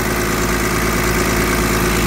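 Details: 2012 Freightliner crane truck with PTO air compressor: a loud, even diesel drone with a steady low rumble and no misses or knocks, even revved up; basically no blow-by, and the engine runs clean and healthy.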